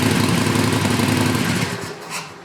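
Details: Used Harley Sportster V-twin, first start on the newly fitted stock exhaust before the heat shields are installed: loud lumpy idle with a metallic buzz riding on the pulses; the loose, unfitted exhaust heat shields rattle, no leaks.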